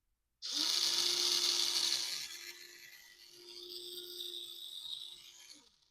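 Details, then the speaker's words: 2003 Radio Shack Brum RC car rebuilt with hobby-grade electronics, bench test: newly installed motor on channel six via an ESC spins up to a loud, high, steady whir with faint gear buzz, then winds down; runs fine. "So when I turn this knob, the motor we in That's loud. The motor we installed will run."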